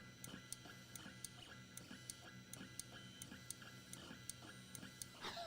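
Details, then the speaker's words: Ender 3 3D printer used as a pen plotter with PLTR attachment, bed has a low spot: quiet stepper hum with a sharp click repeating about three times a second as the axis keeps hitting its endstop; cause unclear. "it's it's clicking the it's clicking the end stop well i mean it's just gonna yeah i'm gonna restart it this isn't good"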